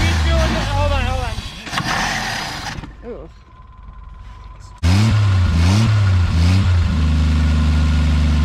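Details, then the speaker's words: 1980 Jeep CJ with 258 inline-6 sat about 20 years, first start attempts: catches and revs, sags and dies within seconds, then refires and settles to a steady run; stalls after starting, cause unconfirmed. "hold on hold on hold it down right yeah but then it died"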